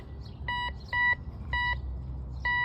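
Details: Temu metal detector, turn-on-and-go with no discrimination, target reading 99 as a 1-cent coin at depth 3: four short mid-pitched beeps at uneven gaps, dropping in and out; unstable signal, target left undug.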